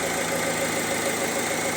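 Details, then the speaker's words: Opel Insignia, about 2020, 1.6 B16DTH diesel, 136,000 km, after repair, cold start indoors: even steady idle with fine clatter and no rattle or knock; chains and tensioners working normally. "Запускай всё идеально без рёко это без Тука работа стартера и всё это мы в закрытом помещении здесь звуки очень хорошо слышны посторонние звуки если что Но здесь у нас всё идеально"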